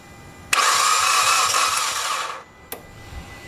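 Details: 2008 Mitsubishi Evo X GSR, 65,000 miles, cranking at about 100 rpm: the starter spins quickly and the engine never catches. Compression is 55/60/65/48 against about 160, still low after fixing an exhaust cam chain that had skipped a tooth.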